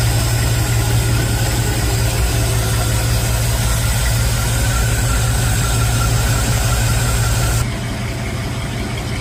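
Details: Chevy after a remote solenoid fix for a starter that wouldn't stop cranking, battery a bit flat: steady, even low idle with no starter whirr hanging on after the start, holding smoothly until shutdown near eight seconds.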